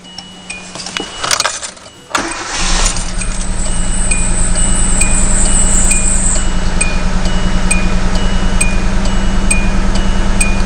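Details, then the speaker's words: 2010 Hyundai Accent with codes P0300–P0304 and flashing check engine light, after coils reinstalled and codes cleared: cranks and catches, then idle shakes with a regular stumble two or three times a second; misfire from a faulty coil pack. "Okay, it is still doing it. So there is a problem. There's either a coil pack or something is bad."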